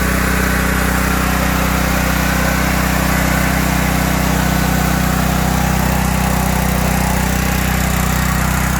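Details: Briggs & Stratton 5000 W generator with five hours of run time, after a no-start repair (Huayi carb cleaned, gummed float needle valve freed, replacement spring fitted, stuck choke unstuck): a steady, even low drone with no misses or surging; it runs normally.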